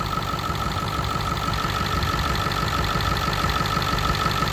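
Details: Ford 7.3 Powerstroke diesel at idle after a new fuel pump and return spring, fuel pressure 60 psi, with a fuel line leak: steady clatter with an uneven thump about twice a second over a high whine. Misfire persists; the cause is unknown.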